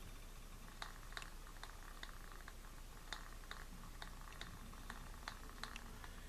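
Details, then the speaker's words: Zebco 202 fishing reel with broken pinion gear tooth: faint sharp ticks about two to three per second as the handle turns; gear skipping on the broken tooth. "what we've got here we have a zebco 202 that has a broken tooth on the pinion gear if you listen to it see if you can hear it"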